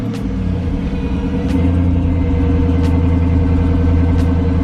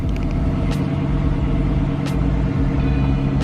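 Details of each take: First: 2007 Chrysler 300C 5.7 Hemi at idle before alternator replacement: a steady whine holds pitch with the engine note, with the battery light on and voltage dropping to about 10.9 V. Failing alternator whine. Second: 2007 Chrysler 300C 5.7 Hemi after alternator replacement, fixing a whine with low voltage and battery light: steady, even low idle with no knocks, misses or whine, battery reading 13.9–14 volts; healthy idle.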